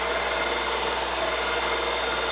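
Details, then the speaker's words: New replacement power-feed motor on a Reid 2-B surface grinder, after swapping lines two and three at the motor: steady even whir, no knocks, surging or grinding; runs smoothly. "motor's still running that's good"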